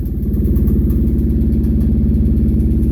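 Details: Kawasaki Brute Force 750 at steady idle with a quick metallic click-rattle about three or four beats a second that comes and goes; engine teardown found a blown crank bearing.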